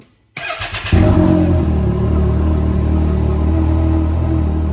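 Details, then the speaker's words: 2018 Can-Am Maverick X3 Turbo R after a larger Turbo RR turbo, new exhaust manifold, KWI clutching, Whalen tune and Dynojet launch control: brief cranking, then it catches and settles into a deep even rumble, no misfire or knock; healthy start. "let's fire this thing up and just hear it quick you know look at some datas make some noises see what it sounds like"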